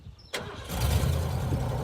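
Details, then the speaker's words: Neglected Ford F-150, sat ten years, fuel pump tested, starting fluid sprayed: cranks then catches with a sharp crack and low rough rumble but won't keep running. Engine fires briefly but won't stay running. "crap it sounds good oh well it did sound good so it's um the best it has we've had some fire out of it I think we're pretty close"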